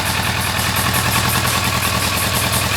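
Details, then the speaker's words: Kawasaki ER-6n after crankshaft and bearing replacement for an engine noise: smooth, even twin-cylinder idle with quick steady exhaust pulse, no ticking or knocking; engine now healthy. "Tá aí, ó, já testada, sem barulho nenhum no motor."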